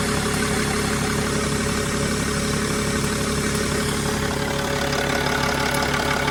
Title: Mercedes E320 CDI Strange Ticking Noise ???